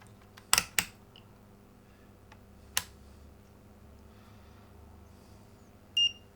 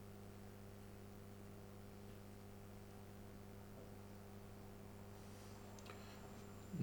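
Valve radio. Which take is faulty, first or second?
second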